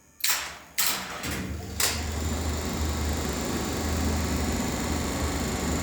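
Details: Lift AC motor with a speed switch at its end, from a different lift than the 1969 Schindler: a few heavy clunks as it engages, then a smooth, steady low hum as it comes up to speed; normal.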